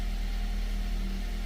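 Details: 2018 Toyota Corolla idling after its dead 12V battery was replaced with a new genuine Toyota lead-acid battery; smooth, steady low hum, even idle, no knocks or misses; engine healthy.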